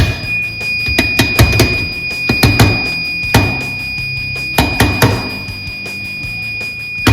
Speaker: there's not enough voltage to actually get the tap working again and it goes into alarm so if you have this type of a tap in your facility and you hear this annoying screaming noise it sounds like it's coming from everywhere